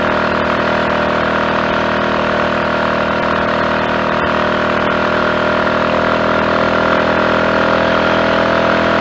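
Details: Triumph Tiger Cub single at full working temperature after fitting a new carburettor slide, needle, needle jet and main jet for a rich mixture, full throttle near 60 mph with rider: steady even drone, no misfire.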